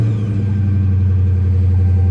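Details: 2018 Dodge Charger at salvage auction, 59,000 miles, minor front-end damage, low on gas, oil change due, no dash warning lights: revved in park, smooth, strong, steady note with no knocks, rattles or misfires; healthy.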